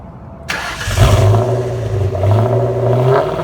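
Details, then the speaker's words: Ford Mustang Mach 1 right after a new fuel pump and filter were fitted in a parking lot: after brief priming the engine cranks, fires promptly and revs cleanly, then settles with a smooth, steady note; the pump is working and the start is normal. "Might have to prime for a minute. Go a few. Yep. So it sounds like the pump's working."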